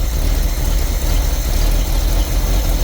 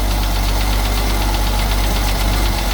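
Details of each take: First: Carbureted engine with choke being pushed in gradually: low, even engine rumble settling to a steady beat with no misses or stumbles as the choke comes in; idle smoothing out. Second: 1974 Ford 350 V8 cold start, engine oil never changed: loud, deep idle with a quick, steady tapping knock through it; owner blames unchanged oil, bottom end needs checking, cause not confirmed.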